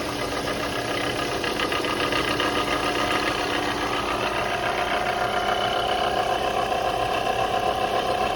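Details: Idling engine with a faint rough tick and a thin fixed-pitch whine creeping in midway, the sound of a bad alternator compared against a good one.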